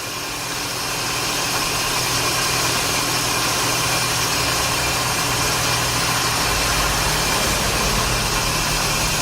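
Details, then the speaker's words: 2006 Scion xA at idle: a harsh, hissy high squeal as the alternator and power-steering belts slip, giving a low, fluctuating charging voltage. The belts need replacing. "you hear the squeak you'll hear you'll see that the voltage will change a lot"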